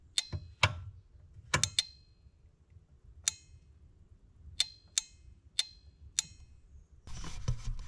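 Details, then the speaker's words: Old Alfa Spider headlight circuit rewired through new fused relays after the dipped-beam ground wire caught fire and the stalk switch bent; eight sharp, clean relay clicks as lights switch, working properly after repair. "so far so good I just need another relay I need to mount them in"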